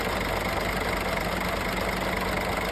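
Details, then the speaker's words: Scania truck at diesel idle with a loud, steady high scream; the V-belt tensioner had failed and the belt was badly shredded; both were replaced, fixing it. "So, der LKW ist wieder heile, das war nur der Spanner vom Keilriemen und der Keilriemen war mittlerweile auch schon ziemlich zerfetzt, also alles wieder gut."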